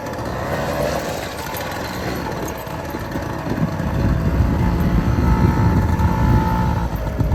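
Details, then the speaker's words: 1978 Honda Hobbit two-stroke moped, 240 original miles, just revived after a plugged carburetor, running outside in the rain: uneven buzzing at first that grows steadier and stronger. It runs better the longer it runs; rough running smoothing as it warms. "also it's raining now it's like the more it runs the better it gets"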